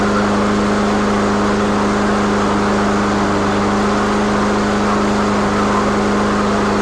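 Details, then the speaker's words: Troy-Bilt TB360 self-priming push mower, a few years old, neglected, after repairs with fresh gas and oil: small single running at steady, even governed speed, constant hum, no misses or surging; normal running. "all right guys there you have it I fixed it really really economically and by the way I obviously put gas in it and I did put oil in it in case you're wondering so it's not going to burn itself up it is running properly"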